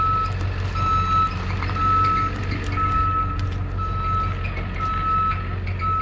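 A steady single-pitch beep about once a second over a low diesel rumble: the truck's reverse alarm working normally while backing.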